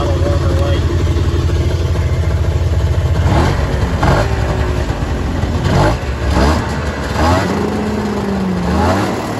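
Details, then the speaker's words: 1997 Ski-Doo Mach 1 700 triple two-stroke snowmobile, about 3,414 original miles, just bought: steady even idle, then clean throttle blips rising and settling back smoothly. Normal idle and revving. "So I'll go ahead and I'll fire it up for you guys. Idle's really good."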